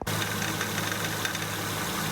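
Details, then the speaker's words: 2008 Acura MDX idling: light metallic tick-rattle over the engine, like tapping on tin, from the power steering pump; worn pump internals, pump to be replaced. "you can hear on my power steering pump it's also a little rattly take a look [Music] sounds like someone's taking a little metal hammeron planking it that's another sign that our stream pump should be going bad"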